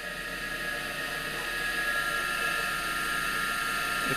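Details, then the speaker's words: Three-quarter horsepower motor, probably the original 1943 motor of a LeBlond lathe, first run during restoration: a steady hum with a thin, high whine as the dry bearings need lubrication; little vibration. "quiet can definitely hear the bearings need some lubrication of course this motors probably the original to delay from 43 so not a lot of excessive vibration"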